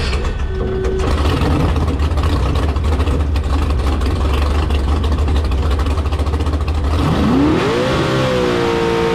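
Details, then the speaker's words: Carbon fiber jet boat with rebuilt 632ci all-aluminum 1200 hp big block Chevy, running on lake at speed: deep steady roar then clean rising rev, no misfire or rattle; normal running at speed. "God, that boat sounds so good. [Music] [Music] Sounds fun. Sounds great, dude."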